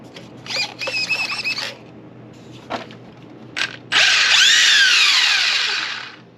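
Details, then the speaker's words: Traxxas Mini Maxx RC truck bought at a swap meet, with Spectrum radio and XT60 plug, not yet rebuilt: short bursts of high electric whine, then a long full-throttle buzz with light gear noise. Motor and diffs work fine. "So, seems to work fine."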